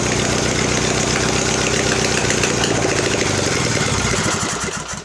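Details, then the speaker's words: Mastercraft (MTD) 46-inch riding mower after an engine swap, no exhaust fitted and covers off: loud, raw open bark running steady and even, then sputtering and dying as it runs out of gas; engine runs fine. "wow that's neat runs seems to run okay i'm not gonna run along without the covers on it"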